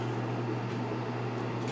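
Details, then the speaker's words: Lakewood P223 first-generation fan with Westinghouse motor, blade removed, unloaded, dusty but spinning freely, before oiling, run on high: even, low electric hum with no ticking, rubbing or wobble; running smooth and quiet. "oh the motor runs smooth and it's quiet so I think it's in pretty good shape"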